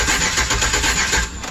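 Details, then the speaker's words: 2008 Express: starter cranks with an uneven, lumpy beat, some strokes weaker, after oil was squirted into the cylinders, the oil and filter changed and the intake refitted; owner says it still doesn't sound like it has compression on all 8 cylinders; cause unconfirmed. "It still doesn't sound like it's got compression on all 8."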